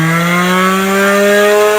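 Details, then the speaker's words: Harbor Freight variable-speed tool (goes up to 10,000 RPM) spun up on its lowest setting: high, clean tone rising slightly then holding steady; even on low it spins far too fast for sharpening and would overheat the tool. "Even when you put it on low, I'll turn it on real quick, you'll see that it even spins way too fast for sharpening. It'll heat your tool up way too quick. So this is just the lowest setting right here. It's way too fast."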